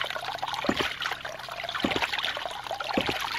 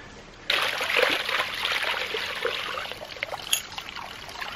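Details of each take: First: New 2-inch Agri Papa Pump ram pump on a quick test install, with someone standing on the drive pipe: sharp valve clacks about once a second over trickling water, steady and regular, so the pump is cycling properly. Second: New 2-inch Agri Papa Pump ram pump on a quick test install: water gushes with gurgling, spitting air bubbles. The manual showed one of three rubber O-rings was missing, letting air in.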